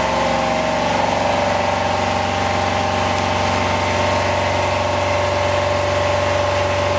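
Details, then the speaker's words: Homebuilt standby generator for emergency power, running: a loud, steady drone with an even hum and constant pitch, no knocks or surging. Normal running. "oh all right it's pretty noisy it's hard to hear there"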